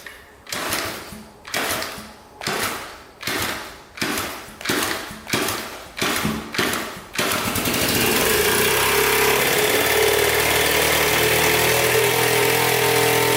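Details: 1977 Honda Z50 after a no-start, with timing and valves set, loose timing chain and the throttle body plugged against excess air: about nine slow cranks, then it catches and runs steady and even; it now leaks oil near the flywheel.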